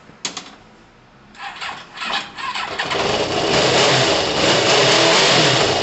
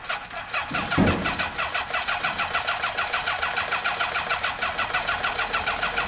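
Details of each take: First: Kawasaki ZL600 started cold after months sitting, with new coils, tuned carbs and valves done; catches after a few tries, then settles to a steady, even run and revs cleanly with no knocks or misfires. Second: Kawasaki ZL600 with new coils, tuned carbs and valves done, with its exhaust pipes not yet connected and smoking: it cranks and catches, then pulses lumpily at about three beats a second with uneven firing. It runs rough; a firing-order issue was noted.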